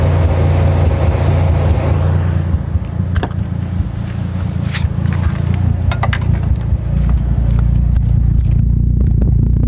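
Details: Toyota JZX100 with 1JZ engine, warm, off throttle: deep, uneven idle loping over two beats per second with occasional sharp pops.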